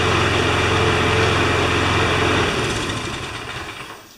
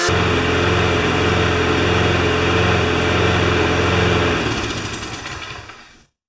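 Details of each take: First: John Deere JS25 engine after teardown, test-run before reconnecting to gas tank; small single buzzes at quick, even beat then winds down smoothly with no knocks: normal running. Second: Briggs & Stratton Quantum single-cylinder engine for a self-propelled John Deere JS25 mower, parked since October, holds a steady even beat about four seconds then sags and dies, running only on fuel in the carburetor bowl; cause suspected, not confirmed.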